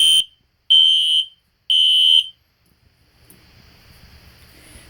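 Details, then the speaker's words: System Sensor Spectralert Classic P121575 horn set to temporal code 3 on high volume: three loud, high half-second beeps with short gaps, then a pause; standard temporal-three evacuation pattern, very loud. "that was pretty cool but that is very loud but high volume is really loud"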